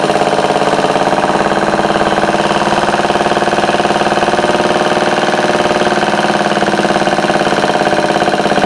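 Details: Homemade overhead-valve antique single-cylinder Briggs engine, running on a replacement carb because the original was dirty. Fast, steady popping at an even beat with no misses or knocks: normal running.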